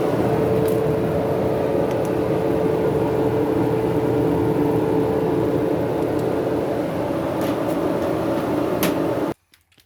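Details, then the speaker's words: Kenmore dryer with a squeak, door switch bypassed to run the drive motor alone: smooth, even, constant-pitch hum with no squeak or grind until switch-off, so the motor is fine; drum support wheels to be replaced next. "I just did that to hear if I had a problem with the motor. But since I don't, I can go ahead and remove remove this."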